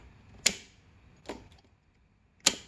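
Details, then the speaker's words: Yamaha BWS scooter with added LED spotlights: three crisp clicks about a second apart as the ignition is switched on and off, the ignition-fed relay switching cleanly; normal relay clicking. "you can definitely hear the relay kind of clicking on and off"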